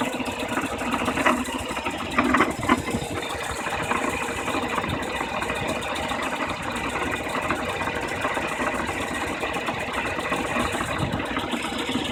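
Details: BMW E36 316i with the M43 engine at idle: a light, busy ticking and rattle sits above the engine hum. Something is off, but the source isn't clear.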